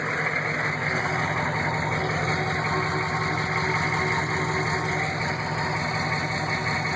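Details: Newly installed rebuilt GM 6.5 diesel long block idling, recorded at the removed inspection cover: dull, loosely regular knock about twice a second over the clatter. Weak oil flow to rear rockers; flexplate, converter bolts, rocker buttons and pushrods found fine. Cause unconfirmed.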